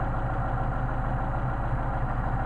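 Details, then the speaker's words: Mercedes 190SL engine on re-tested Solex 44PHH carburetors after a hot restart: steady, even low idle with a smooth unbroken rumble and no stumble or hunting. Normal warm idle. "Do a hot restart. Oh, okay. Restart hot. Idle's great."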